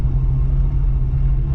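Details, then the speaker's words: 1985 Oldsmobile Cutlass Supreme with a brand-new carburetor, undriven for 4 months, warming up with foot off the pedal and water temperature under 100: a deep, steady, even idle rumble with no dips or stumbles. "That sounds about where I want it to be. If you hear the idle, I don't want it to drop from there. If it drops from there, it can shut off on us."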